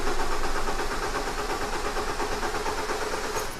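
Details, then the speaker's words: 2016 Holden Colorado no start: steady starter cranking about three turns per second, slightly funny, uneven sound but not obviously low compression, never fires; crank no start. "that's what it sounds like uh sounds okay it does have a little bit of a funny sound to it when it cranking but it's not obvious uh not like a lacquer compression or something like that"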